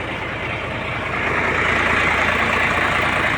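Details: Isuzu Forward with 6H1 diesel engine, a roadside rescue after it cranked but would not start. It now settles into a steady, even idle with a busy rattly clatter and no misses; running fine.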